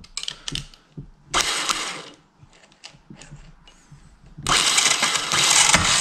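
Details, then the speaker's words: Yanmar two-cylinder diesel from a microcar, head recently off, injection pump fed straight from a can, cranking at full throttle: two bursts of fast, even cranking with no firing; no diesel reaching the injectors, owner suspects a seized injection pump or solenoid valve. "On n'a pas un pet de gasoil aux injecteurs. Et là, il a accéléré à fond, il n'y a que dalle."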